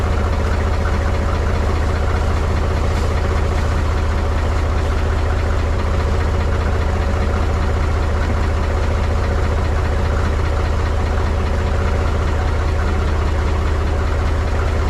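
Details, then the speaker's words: Mahindra 3525 tractor diesel, cold-started at 18–19°F after about 1.5 months idle, not yet warmed: deep steady chug at idle with slight roughness, chugging the first few minutes then smoothing, smoke cleared. Rough cold idle. "t's running a lot better now it didn't like that cold stting I can tell you that so you see right there not smoking no more"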